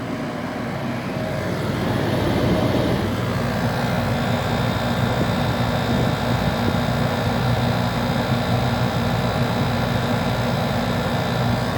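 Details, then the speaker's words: Portable heat pump air conditioner set to cool at 16 °C, controlled by a thermostat and run on an extension cord: steady low hum with a constant airy rush and no knocks or rattles; compressor running normally. "yeah it's working good it's called you're the compressor running here"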